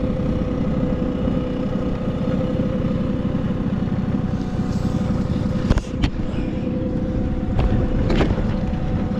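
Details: Vintage Honda 12V Squash scooter (AB11-1055) two-stroke revving: steady, even buzz with smooth rises in speed, quiet, no knocks or rattles; normal healthy engine.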